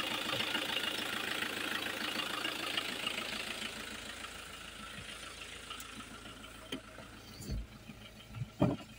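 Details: 2001 Peugeot 306 2.0 HDI diesel, running again after its no-start (no check engine light) was fixed by replacing the ECU and having it reprogrammed to the car. Even idle with a soft, steady clatter that fades, then handling clunks. Normal idle.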